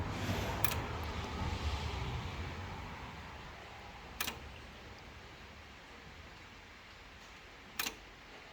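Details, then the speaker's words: Pre-war Riley Brooklands SU electric fuel pump at rest, ticking about once every 3 seconds; owner, new to SU pumps, worries it means a slow leak but sees none: single sharp periodic tick; fuel pump cycling. "so I'm just worried that continual ticking means it's there's a slow leak somewhere but I can't see anything"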